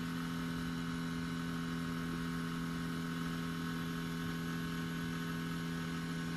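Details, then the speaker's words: Lexus RC F with the engine off: a steady, even, low electric hum from the rear, seemingly completing a cycle before stopping; cause unknown. "I don't know what this sound is but it sounds like it's completing some type of cycle now it's gone so yeah I don't know what that sound is"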